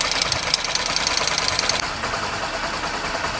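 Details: Honda SP125 BS6 single, recently rebuilt (half-engine work), only about 600 km since: quick light metallic tik-tik at idle, a little over two per second; tappet noise from excessive valve clearance, remedied by tappet setting.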